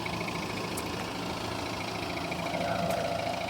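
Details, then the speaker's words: 2015 Volvo XC90 2.0 diesel automatic with 175,000 miles, warm after a 62-mile drive with no warning lights, found with no coolant; even clattering diesel idle with a regular light rattle and no uneven knocks, considered normal for this engine. "It's not the quietest sounding diesel engine in the world, but I'm assured by people in the know that this sounds as it should"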